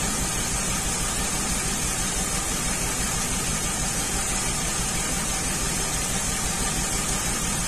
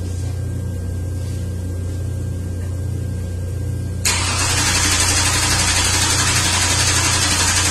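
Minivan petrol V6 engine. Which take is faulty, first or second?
first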